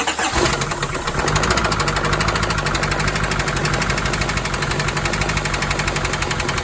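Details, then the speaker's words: Silverado diesel first start after engine work, glow plug module possibly unprogrammed: fires and runs with loud rapid metallic banging over idle; owner unsure, suspects a broken motor mount letting the engine hit a brace or frame. Engine knock. "Well, it definitely started, but man, it sounded like it was knocking."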